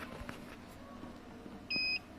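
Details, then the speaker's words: Uwinfly N9 first-gen electric motorcycle (separate motor, three years old), Nanjing Fardriver ND72360 controller: two short high-pitched beeps, throttle won't respond; manual says two beeps means throttle/pedal error, owner checking throttle handle socket. "Dengar enggak? Pip pip dua kali nih. Saya dekatin mic-nya digas enggak mau."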